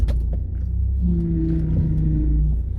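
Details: BMW E36 power steering pump with aged seals leaking and drawing air, worse when cold, after switching to 68W hydraulic oil, A/C off, stationary steering: deep steady rumble with low moan rising mid-turn; aerated fluid pump noise.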